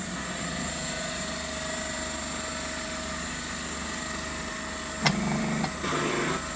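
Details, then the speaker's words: Homemade hydraulic forging press, 700 bar (70 MPa) 30-ton ram, about 37 mm/s unloaded and under 12 mm/s under load; steady droning pump hum with a faint whine and brief knocks as the ram moves; normal running. "So that is it. I'll switch it on, and then you can hear the noise it creates and see it move."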